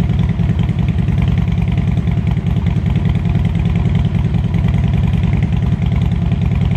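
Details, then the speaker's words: Harley Road King, after an air-ride fix: deep loping V-twin cold idle, a steady even lumpy beat of about 100 a minute, unbroken. Sounds healthy. "i'm going to uh go ahead and give y'all a cold start that way you guys can enjoy that"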